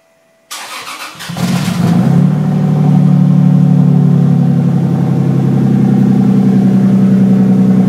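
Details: Restored 1965 Mustang with 2JZ engine and new custom exhaust (downpipe to Dynomax race bullet muffler, routed along the driveshaft and over the rear axle): short crank, fires cleanly, revs and settles into a smooth deep note, no ticking or rattles; healthy.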